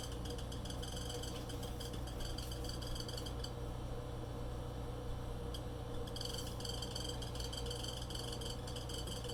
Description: Seems to be the condenser fan motor? I tried cleaning the fan but still heard the noise again today.